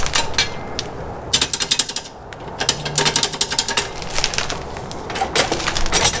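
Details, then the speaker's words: Suzuki DR-Z125 dirt bike being kicked over after its JB-welded cracked sump leaked all the oil and it was ridden dry, then cut out and wouldn't start: harsh metallic ratcheting and clattering, no compression beat; blown engine from oil starvation, piston possibly gone. "um is there even a piston anymore"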